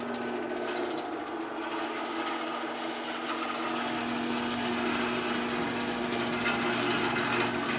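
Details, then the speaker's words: Sears garage door opener with new sprocket, run with the trolley disconnected: steady motor drone with a fast, even chatter of several ticks a second as the trolley still vibrates on the rail. "Trolley still vibrates quite a bit. Trolley still vibrates quite a bit."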